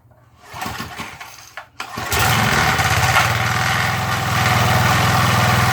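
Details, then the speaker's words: MTD edger with 3.5 hp Briggs single-cylinder that had been sitting and wouldn't run, after repair and refitting the idle adjustment screw: a few pulls, then it catches and settles into a steady, even rapid putter with RPM raised; runs healthy. "That's good. Sounds good. I'd say that's good, guys."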